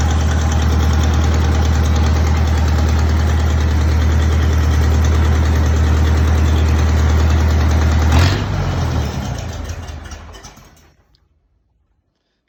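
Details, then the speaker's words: Belarus 525 4x4 loader tractor, diesel, first start after sitting for years: steady, even chug around three beats a second, no knock or miss, clean shutdown; engine runs well with good oil pressure and stays cool, clutch still not engaging. "but i think we can handle all that the biggest next step will be the clutch but it does run so that's a good start"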